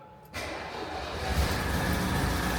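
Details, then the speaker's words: Classic Renault R16 after a bottom-end repair for low oil pressure and knocking, oil pump primed and oil pressure now present: quiet, then the engine catches and settles straight into a steady, even idle with no knocking; running healthy. "that sounds absolutely sweet now don't act like you're not impressed right this is sounded absolutely sweet"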